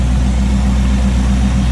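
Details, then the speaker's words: 1939 Oldsmobile Series 60 two-door sedan with 350 V8, Edelbrock carb, electric fan, hood open in engine bay: even, steady low rumble with no misses or knocks; smooth, regular V8 idle. "350 V8 Edelbrock carb. Electric fan, power steering, power brakes, smooth running, good sounding engine."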